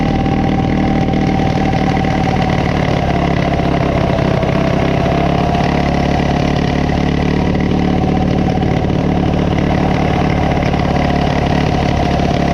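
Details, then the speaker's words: Coleman CT200U-A minibike with a 196cc Hisun engine: a fast, steady high idle with a constant buzz that never settles to a slow idle, whatever the carb adjustments (mixture about 1.5 turns out). The carb alignment was checked and is fine. "so no matter what the adjustments I make this thing runs crazy"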